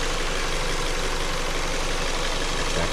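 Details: Idle of a 2015 Ford Escape with 142,000 miles, running well since fuses behind the fuse panel were replaced for a no-crank no-start; steady, even drone with no misses or knocks, though the owner says it is starting to make rattling noises.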